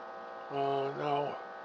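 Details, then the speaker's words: Philco 84 radio under repair: a low, steady buzz swells briefly from the speaker with no program sound; volume control and changing channels do nothing, so it only hums and the fault is not yet found. "can you hear the that's the speaker my mother the lion control has nothing is not doing anything so that's telling us one thing all right and changing channels doesn't do anything"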